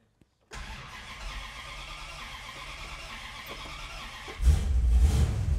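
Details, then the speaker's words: 1964 Dodge 440 with 383 big block and push-button 727, revived after 20+ years: long steady cranking without catching, fires just as key is released; suspected ignition box/coil not getting power during cranking. "I gotta check the I don't know that the wire is giving it power during cranking the coil yeah maybe it's starting when I'm letting off and it's already rolling"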